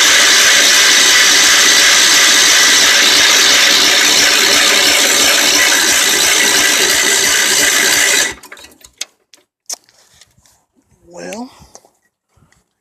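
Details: Old Wheel Horse tractor after 3 years sitting, ignition points cleaned to restore spark: fast steady whirring crank for about eight seconds with no firing; crank no start, dirty carburetor suspected next.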